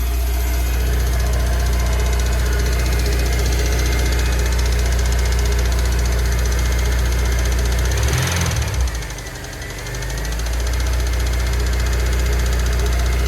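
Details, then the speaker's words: Rebuilt Honda S2000 engine, bored oversize with ARP head studs, at first idle after reassembly: steady idle with a quick, regular tick about three times a second, heard as valvetrain contact from a missing spring cap. Unsure whether knock or tight valves; exhaust lash reset to 0.010 instead of 0.008. "What we're dealing with right now is we don't know if the car is currently knocking or if we had the valves adjusted a little bit too tight."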